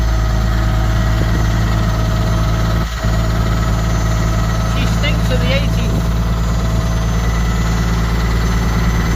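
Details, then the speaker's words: Ford Cargo 0813 diesel library bus being recommissioned: steady low idle with a raspy, puffing edge over the rumble; exhaust pipe broken and leaking somewhere, exact location unknown. "The exhaust pipe is falling off, so Amy, we didn't try and get underneath it. We'll try and film the exhaust pipe. We have to go under here. It's broken somewhere. I don't know where it's broken, but it's broken somewhere. I can hear it."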